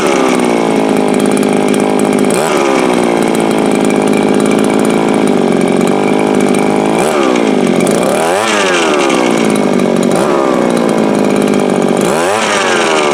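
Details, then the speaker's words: Viper ice auger two-stroke at full throttle outdoors: screams but sags and recovers every few seconds, hunting surge; owner suspects it leans out and runs out of fuel, though also sounds a bit rich; runs harder on choke. "So that sounds to me like it is lean and leaning itself out. But it also sounds a little rich, but if you run the choke, you can run it harder."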